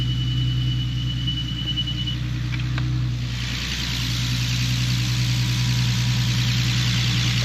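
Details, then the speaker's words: Infiniti G37 with VQ37 V6, idling after new knock sensors and sub harness: even idle with a thin high squeak coming and going, likely the accessory belt slipping (unconfirmed); owner says ignore the belt squeals, everything else seems to work okay. "squeeze ignore some of the belt squeals but yeah everything seems like it's working okay"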